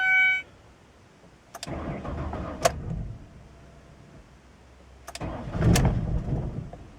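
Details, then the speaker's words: 2001 Ford Escape parts car, rumored to have jumped timing, on a new battery: two crank-and-catch attempts, each settling into a short, uneven, lumpy idle with a wavering beat; it runs rough but it runs. "ah runs kind of rough but it runs okay that's really all i needed"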